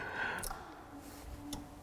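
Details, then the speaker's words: VW Golf GTI Mk3 being prepared for rallying, non-running: after light ticks, a faint steady hum from the in-tank fuel pump as it restarts after being freed by tapping; stuck pump freed, engine runs, some noise remains. "Oh, I got a fuel pump noise now. [Music] I'll turn that off because uh we got a bit of a noise there, but it runs."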